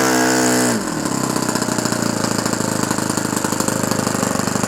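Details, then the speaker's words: Restored OS FS-120 Surpass 20 cc four-stroke glow engine with new ring, 15x8 prop, first-tank break-in on 5% nitro fuel with 20% oil. After a short rev drop, a rapid even purr with no misses, rich and at good temperature. "Il ronronne bien, il est à une bonne température, on a pas mal d'huile, donc il est en train de se roder bien comme il faut."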